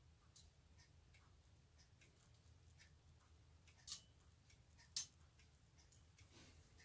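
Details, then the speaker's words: Hermle 451-050H clock movement with deadbeat escapement, after a pendulum beat adjustment cut the beat error from 80% to about 20%: soft ticks near one per second, unevenly spaced, with swing still slightly longer on one side, so still out of beat. "a minor adjustment here to the pendulum b it sounds a whole lot better than what it did when it's 80 error but still isn't quite far enough the pendulum swing and impulse is still longer on this side than it is the other ever so slightly"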